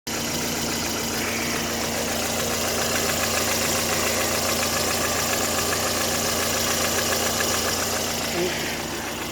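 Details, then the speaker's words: Lada Granta 8-valve petrol idling with a steady light metallic tapping, three to four taps a second; the tapping persists after replacing the lifters and adjusting the valves, and compression is normal. "стучит толкачи поменял маски карточки поменяла отрегулировал клапана звук не уходит"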